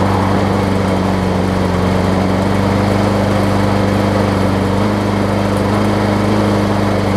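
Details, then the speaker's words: John Deere JS63C mower, before flywheel key replacement, on fresh gas: the engine races fast and uneven with slight surging. It runs a bit rough from a partly sheared flywheel key upsetting timing plus a rich mixture; the owner thinks it may need carburetor cleaner. "it did start up so learn a little bit rough it might need carburetor cleaner or it might simply just need to be run but there's running fast so I think that something has been desola"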